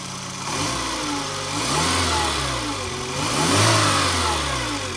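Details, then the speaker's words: 2000 Fiat Panda Young (141) engine on a very hot day after rebuild for worn rings and oil burning: new rings, valve seals, lapped seats, oil pump, timing chain and tensioner; clean revs rising and falling to smooth idle, no knock, tick or chain rattle. "tutta un'altra cosa ma è proprio un'altra cosa io un motore di panda così silenzioso non l'ho mai sentito"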